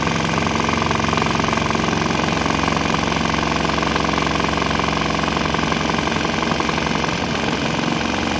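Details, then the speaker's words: Swan X 165F Chinese single-cylinder diesel mounted on a shipping crate, running on straight used canola fryer oil: steady even thump about three beats a second with slight tempo wobble, running fine on the oil. "Unfortunately, this guy vibrates itself to pieces, and I got it mounted on a shipping crate, so it's vibrating around pretty good. But it seems to run on that."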